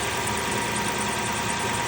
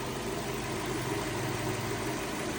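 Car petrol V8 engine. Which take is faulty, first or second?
first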